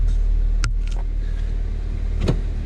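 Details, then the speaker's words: Honda road test after replacing one side's lower control arm, bushings, lower ball joint and sway bar end links: two sharp front clunks over bumps persist. The owner suspects the struts next; not confirmed. "See if the clunking noise is gone. If it's not gone, then the only thing left is struts."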